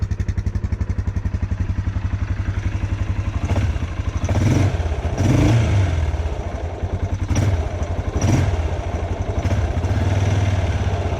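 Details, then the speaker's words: Yamaha Grizzly 600 quad, older machine, just changed from 5W-40 diesel oil to 15W-40 Rotella synthetic, warming up: low steady single-cylinder thumping idle, quiet, even, no knock or rattle. Normal idle. "she sounds pretty quiet too which is nice"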